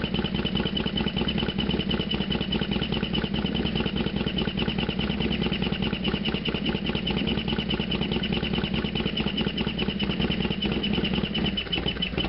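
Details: Harley FXDX V-twin, cold start then half-mile ride: lumpy idle with loud mechanical clatter on every beat, steady at idle; loud engine noise, cause unclear.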